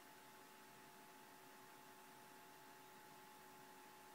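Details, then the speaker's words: ASUS G73 laptop with a black screen under repair, dusty inside, about two to three minutes after power-on; both fans are running much faster and louder with a constant airy rush and a faint hum, cause not confirmed; cooling fans running at high speed. "they're running they're running a lot faster and louder right now um that's after about like two three minutes"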